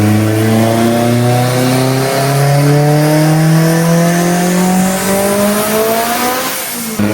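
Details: Haltech-tuned Evo with big turbo on the dyno, after fixes, boost about 11–12 still fluctuating: engine note climbs smoothly at full throttle with no stutter or cut before lift-off, earlier cut gone; normal full-throttle pull.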